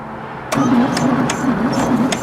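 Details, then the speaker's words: 1966 VW Beetle flat-four cranking on a newly fitted starter, not catching; light metallic clack about twice a second. Owner suspects a valve issue and plans to check valve clearances. "I didn't hear anything either but I hear that clacking it's going to be a valve issue right there"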